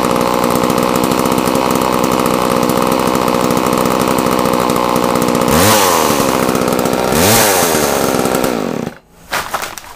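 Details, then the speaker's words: Homelite chainsaw after long storage, choke off, with blade fitted: steady high two-stroke idle, then two clean revs that rise and fall smoothly. Normal run and rev-up. "So anyway, I'll clean it up and get her ready to go, and then we'll give it a bit of a run, a bit of a rev up with the blade. It won't rev so high, so you'll be able to hear it properly."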